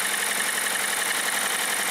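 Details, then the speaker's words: 2016 Hyundai Tucson 2.0 engine at 55,000 km, owner complaint of engine knock, present cold and hot, interval changes with revs: fast, light, evenly spaced knock at about crank speed at idle, first thought piston slap; rod bearing knock. "андрей приехал владелец с жалобой на стук в двигателе"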